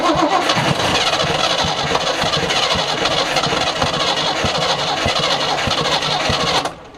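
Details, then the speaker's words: 1976 squarebody farm truck V8 sat 20-30 years, fuel poured down the carburetor: ragged, uneven firing at about four beats a second catches then dies out. "So rather than do anything else correctly, let's just put some fuel down the old carburetor and see what happens."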